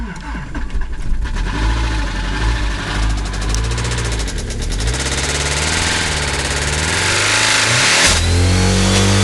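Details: Subaru Legacy 2.5 with blown engine: rough idle picking up with revs, loud heavy diesel-like knock throughout; serious internal engine knock, cause not confirmed.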